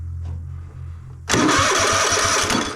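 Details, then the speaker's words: Troy-Bilt Mustang RZT zero-turn mower, starter spins engine in steady chug about eight pulses a second without firing; no spark with kill wire disconnected, ignition coil diagnosed bad and replaced. "not a thing on it not a spark whatsoever so it's disconnected here with the kill wire this coil with the magnet spinning over the top of it should create a spark"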